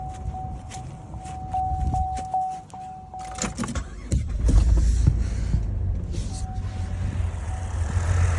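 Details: 2009 Saturn Vue 3.6 V6 with a hard cylinder 2 misfire that stayed after swapping coil and plug, injector confirmed firing: after chime and crank, uneven lumpy idle with stumbling beat; low compression found by wet compression test.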